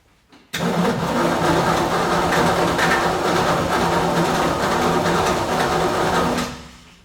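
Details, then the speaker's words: 1965 Ford Falcon Sedan Delivery barn find, parked, coil reconnected with points and coil unchecked: steady starter cranking at about three turns a second, never firing; no spark from the coil, a partly broken power wire found, so it won't start. "We'll grab a screwdriver. I'll have Ethan turn the key and then I'll check from for spark out of the coil. Yeah, >> I don't think I'm getting spark from the coil."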